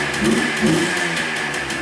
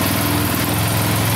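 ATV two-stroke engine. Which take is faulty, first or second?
first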